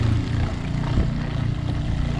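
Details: Shurflo RV water pump after its adjustment screws were adjusted: a steady low droning hum with no stutter or cycling. The pump starts promptly and runs evenly.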